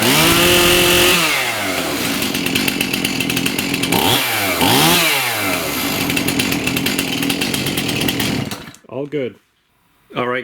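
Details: Stihl MS291 chainsaw that had no power and wouldn't rev, after cleaning the screen and replacing suspected mis-mixed fuel with premixed canned fuel: revs up crisply, holds a clean high scream, returns to idle and blips again without bogging.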